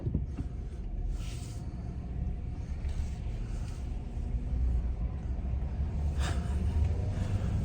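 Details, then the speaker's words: Chevy Silverado rear leaf springs after new leaf spring silencers were fitted: low road rumble and soft creaks dropping off a curb and bouncing, no clunk; leaf spring clunk fixed. "but I can already hear it's not clunking just from the few bounces I have"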